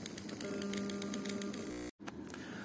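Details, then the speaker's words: UHER Report 4400 tape recorder with belt fitted: steady motor hum with fast even clicking, motor starting and stopping; failed motor control board with germanium transistors, capacitors replaced, not fixed. "it's making this clicking noise and it starts and stops"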